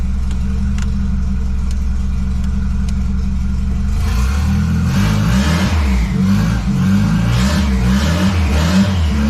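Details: $200 wagon, first start after fitting a new GMC Typhoon/Syclone turbo and cranking to prime the oil: starts easily, smooth, even idle and clean throttle blips with no knocks. Healthy, though the factory hard oil feed line plug leaks.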